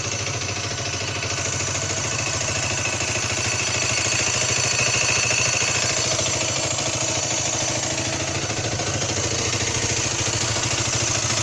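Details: Derbi DRD 125 (2015, same as Malaguti XTM/Aprilia SX/RX), electronic injection, coolant and oil at correct level: faint high-pitched squeak over steady single-cylinder idle, only when hot and at idle or very low revs; seems internal, source undetermined.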